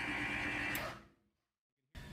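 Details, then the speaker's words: Maxon series 5000 shutoff valve, normal opening cycle: a snap as the solenoid pulls in with a simultaneous motor hum, which shifts in frequency as the motor pushes against the return spring, then cuts off cleanly. "hat valve open we heard a snap and that was the solenoid pulling in at the same time we heard the hum of the motor and that hum changed as soon as the motor started pushing against the return spring it changed its frequency"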